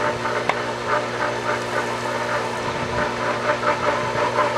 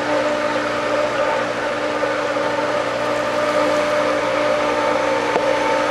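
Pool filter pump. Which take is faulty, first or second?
first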